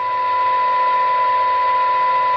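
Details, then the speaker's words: 1980s Harry Moss PT 325 UK 27/81 FM CB radio on the bench, before receive-stage alignment at 0.72 µV for 12 dB SINAD: a steady high heterodyne whistle over thin, bass-starved received audio. "We've got that little bit of heterodyning going on in the background, so we'll try and clear that and we'll try and improve the receive."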